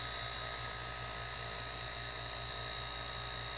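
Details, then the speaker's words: DIY silent air compressor, completed build with modified check valve (snap ring removed); steady even hum with faint airy intake hiss, no buzz or rattle; very quiet, normal running. "with me sitting in front of this you could run this thing in a dentist office so I believe mission accomplished"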